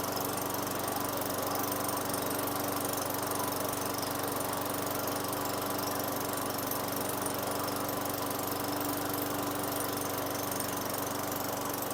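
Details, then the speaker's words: 2003 Craftsman mower, Tecumseh 4.5 hp 148cc engine with new correct carburetor, after raising idle via governor tab and throttle set screw: steady, even idle with constant hum, no hunting or surging; runs cleanly. "then I just um turn my screw here till the end of the screw barely touched the um throttle right here the throttle tab so I think it's at a good RPM"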